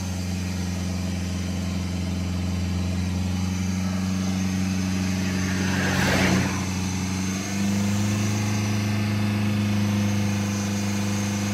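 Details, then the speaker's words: Mercedes A-Class diesel during hydrogen decarbonising, air flow meter found faulty: steady low idle drone with a faint thin turbo whistle above it, heard during cleaning, suggesting the turbo side has cleaned up. "et ça c'est flan j'entends le turbo sifflet donc ça veut dire que ça a déjà bien nettoyer de ce côté là"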